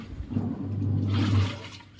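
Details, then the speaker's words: Samsung fully automatic washing machine after repair: it kept filling and wouldn't wash because the water level sensor's connector was rusted and lost PCB contact; pins soldered. Steady low churning and water rush, even motor drone, no knocking or grinding; running normally. "তো এই সেন্সারের মধ্যে পিনের মধ্যে soldering করে মেশিনকে fit করে দিয়েছে। একদম বন করে চলছে মেশিন।"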